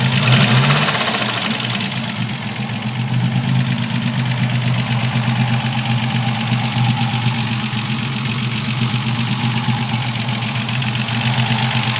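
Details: Ford Capri engine running: harsh, gritty grinding over a rapid steady beat that holds through the revs; source still unidentified.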